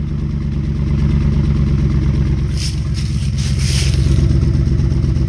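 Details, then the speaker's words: 1996 Ford Mustang GT just revived after sitting, still smoking as rings seal, injector cleaner added to fuel: V8 idles with lumpy uneven beat and occasional stumbles; rough running, owner suspects clogged injectors. "rough so it hadn't smoothed out yet we probably got some injectors that are that are uh kind of clogged up"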